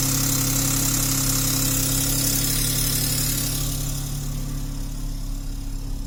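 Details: Seat Toledo 1.0 TSI 81 kW, cold start at outside temperature above 20 °C: quick metallic rattle over idle just after start, easing off within seconds; cause not identified.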